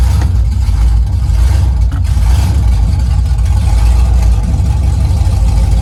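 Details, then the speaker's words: 2000 Camaro SS, knocking LS2 replaced by junkyard 5.3 block and heads, first start-up on open headers with no exhaust: very loud deep steady rumble, no knocks or misses; some smoke from oil burning off headers; running healthy. "we got the Camaro started man found a really beefed up we got that it's no exhaust long so that's why it's like super loud"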